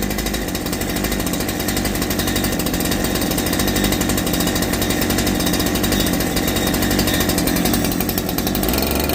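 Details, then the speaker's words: Holzfforma G372 chainsaw (Farmertec clone), first start after crankshaft seal replacement for a factory air leak that kept it from tuning, chain off, choke off: runs steady at high buzzing rev without surging or hunting, responds evenly, unlike the erratic running before. "I need to put the chain on it to be able to tune it but it's actually responding to what I do now before it was all over the place"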